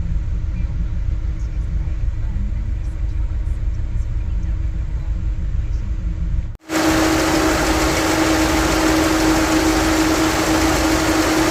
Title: Engine misfire :(